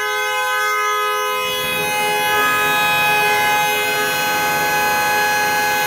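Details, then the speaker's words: Dodge Nitro no-start call, the owner had disconnected the battery because the horn stayed on: after reconnecting, the horn blares continuously at one steady pitch; a faulty TIPM is suspected, not confirmed. "They disconnect the battery because obviously the horn was staying blowing."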